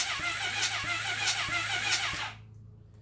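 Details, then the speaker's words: 1980 Honda CB750F barn-find engine cranking with spark plugs out, finger over cylinder 3 then 4: strong sharp air puffs over the starter whir, good compression, though the compression gauge reading disagrees. "let me get my finger on a number three all right I'm on it yeah it's trying to blow my finger off of there"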